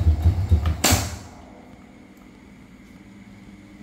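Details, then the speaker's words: Honda Dream motorbike: each press of the starter gives a quick burst of dry rattling, about four clacks a second, as the starter spins without catching the engine; starter clutch slipping. "every time you press the ignition, it keeps rattling. and it doesn't stick to you guys ."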